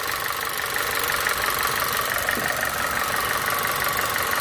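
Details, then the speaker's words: Audi A4 1.8 petrol engine idling after misfire on cylinders one and four, coils swapped then dead spark plugs replaced: steady even idle with no stumble; misfire gone. "Alhamdulillah setelah kita ganti busi ya ee fir-nya hilang."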